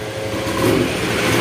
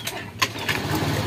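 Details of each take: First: Honda Scoopy ESP injection scooter, hard to start and stalling, with borrowed battery: engine note rises and falls every second or so instead of settling, an unstable surging idle; pressure reading weak and needle fluctuating. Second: Honda Scoopy ESP fuel-injected scooter with a dead battery, running on kickstarter only; one kick and it fires straight away, then settles into a steady, even idle. Earlier it wouldn't start even after ten kicks.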